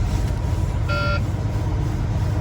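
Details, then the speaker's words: Truck broken down on the highway: short high-pitched low system air pressure warning beeps about every 1.5 seconds over a rumbling diesel idle. "So low system air pressure."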